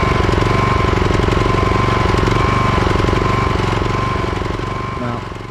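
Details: Craftsman/John Deere riding mower engine chugging at a fast, fairly even beat, then its speed sags near the end. Surging/misfire that owner says worsens after 20–30 minutes of mowing, sometimes until it shuts down.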